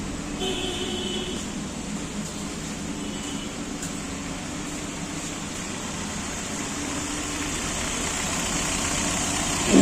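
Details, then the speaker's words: Hyundai Verna petrol after replacing the faulty cylinder 4 part for misfire codes P0300/P0304: it now idles evenly with a steady low hum, no vibration and no missed beats. "क्या video में देख पा रहे गाड़ी में बिल्कुल vibration नहीं है इंजन में कुछ साइलेंट है"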